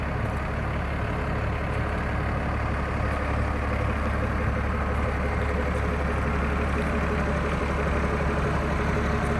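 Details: 1993 Dodge Ram D350 with an unmodified Cummins diesel (killer dowel pin fix) and 5-speed manual, exhaust brake fitted: steady, deep idle with an even clatter and no misses, knocks or surging; healthy.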